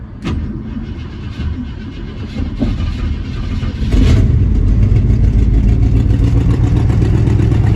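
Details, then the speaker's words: 1966 Ford Thunderbird 390 V8 after replacing fuel pump and carburetor, first time firing up for the owner: brief crank, fires right up into deep even rumble, rises smoothly with throttle; starts and runs healthy. "Actually, that's the first time I've ever had it fired up."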